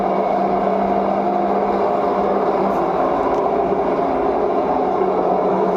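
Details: LG front-load washing machine on spin: a steady, loud whirring drone with a low hum and no change in speed, a vibration noise problem.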